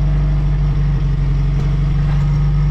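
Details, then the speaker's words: Geo Tracker (Suzuki Sidekick) idling after a new exhaust header install, heard at the tailpipe: a deep, steady rumble with even pulses and no puffing or ticking. No leaks; it sounds different, sealed and healthy. "You kind of hear the exhaust note. It does sound different. Put this camera down. Yeah, it definitely sounds different."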